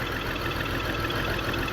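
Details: 2002 BMW X5 3.0L AWD, new battery and spark plugs, multiple misfire: rough idle with uneven popping through steady drone; fuel pressure 44 PSI, owner suspects fuel pump, intake runner motor popping; cause unconfirmed.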